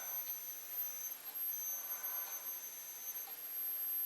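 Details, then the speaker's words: 1956/57 Hotpoint TV model 17S301 under repair for a failed picture tube, high-voltage section powered during voltage checks (about 470–577 V read, boost spec 490 VDC): a thin, steady, very high-pitched whine at the top of hearing is the normal flyback sound. "now I'm getting 577 and it's like you can hear the high voltage 470 you know"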